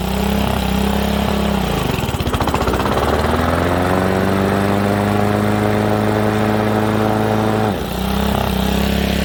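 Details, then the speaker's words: Old Honda HRA215 SX self-propelled mower, apparently shed-stored several seasons, runs only on choke with manual prime, not idle or cut rpm: fast steady run with a dip as the blade clutch engages; needs carb cleaning and tune-up. "This thing's probably got to warm up for a minute before it'll allow us to run it with the blade clutch on."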